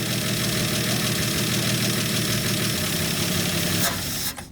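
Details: 1965 Dodge D100 six-cylinder, after sitting 30 years, on fresh fuel with no coolant in the engine: fires up and holds a steady, slightly lumpy idle for a few seconds before shutdown; running fine.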